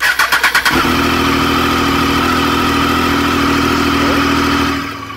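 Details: Triumph Street Triple motorcycle after fixes for coolant boiling and overflow and a ticking engine sound: brief crank, fires up and settles into a smooth steady idle with no rattle; cooling fan working.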